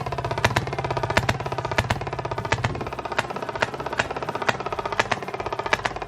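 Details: 1920s Maytag two-stroke hit-and-miss washing machine engine, reportedly rebuilt, first start after sitting 5+ years, run indoors to clear condensation: sharp pops roughly every second with skipped beats as the flywheel coasts; normal hit-and-miss running, runs good.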